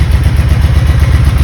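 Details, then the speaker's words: 1996 Honda Magna 750, sat in a barn about 4 years, first run in a long time after carb work, on choke and cold. Deep lumpy pulsing idle loping unevenly, about five throbs a second; a carb is leaking fuel. "Look at that. That's the first time it's run in a very long time. A little cold."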